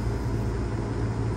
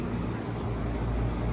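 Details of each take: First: Air conditioner not cooling, suction line not sweating, condenser fan running on a Lennox unit with no board error codes: steady low hum as compressor tries and fails to start; suspected weak 30 run capacitor causing hard-start. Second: Lennox AC unit after capacitor check: compressor drawing about 13.35–13.47 A (locked rotor 23 at start, limit 104, rated 21.2), ECM fan about 0.85–0.88 A; steady low hum with even fan whoosh, normal operation.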